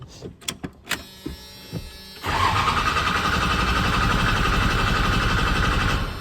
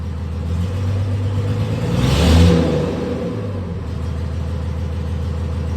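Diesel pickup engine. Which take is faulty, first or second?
second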